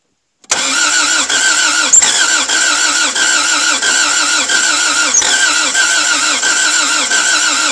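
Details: Toyota MR2 AW11 after cleaning injectors and distributor, distributor timing being adjusted: starter grinds evenly with faint occasional catch, never fires; partial firing no start, owner suspects many bad cylinders with only one trying.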